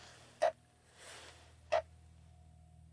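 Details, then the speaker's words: Atari Football 2-player arcade board on a UniROM PCB, first power-on with the 4-player ROM. Short chirp bursts repeat about every 1.3 s over a quiet hum as the board loops instead of booting. Self-test reports bad RAM/ROM; insufficient RAM is suspected. "Well, it sounds like it's looping."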